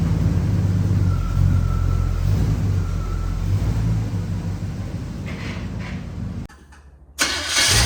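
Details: 1973 Chevrolet K5 Blazer V8, bought with a broken motor and now repaired, out on a test drive after a roughly 10-mile run: deep, even V8 rumble rising and settling with revs, no knocks or misses; normal running engine.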